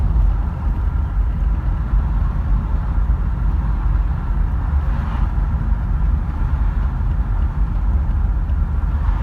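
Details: Holden VZ Berlina engine idling with a heavy low rumble and a dull, repetitive knock running under it; knocking at idle.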